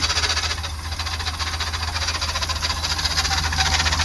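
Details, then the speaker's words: 454 big block camper, just back running: a loose rhythmic rattle over the V8 each time the wheel is turned. Power steering was first suspected of hitting something; it had actually leaked all its power steering fluid. "Uh-oh. We got something loose. Oh, that's every time I turn my wheel. Power steering's hitting on something."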